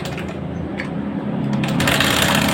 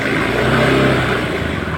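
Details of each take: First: Honda Scoopy scooter with a rough, rattly top-end clatter at idle. The owner suspects the cylinder head area, a camshaft or rocker bearing, and plans an engine teardown. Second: Honda Scoopy scooter after repairing a very rough, noisy engine that would barely run, started after reassembly: the engine revs up and settles with an even, smooth exhaust note and no knocking or ticking; it runs healthy.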